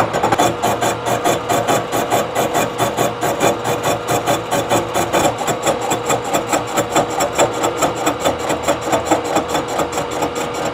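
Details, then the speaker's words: 3-inch face mill surfacing a warped Ford V10 exhaust manifold flange, machine tram just reset, some inserts suspected slightly worn: even rapid tooth chatter with faint scratch trailing each pass as the back edge drags. Face mill heel dragging. "i can hear it just lightly scratching on the backside"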